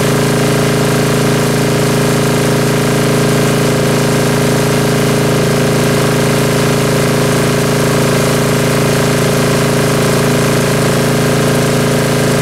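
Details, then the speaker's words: Ingersoll-Rand MC-2A diesel air compressor after a tune-up with oil and filter changes, first run since October: deep, even idle with a steady low drone and no knocks or misses. Normal running; the compressor is tuned to about 155 psi. "everything works and since the tune-up everything works as it should and very well I may add"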